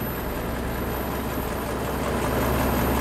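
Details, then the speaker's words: "Double six" twelve-cylinder (two sixes on one crankshaft), fuel pressure pumped to about 15 psi, in neutral: very soft, even low hum at idle with fan whirring over it; quiet, smooth, healthy tickover. "quiet is that most of what you can hear is the fan"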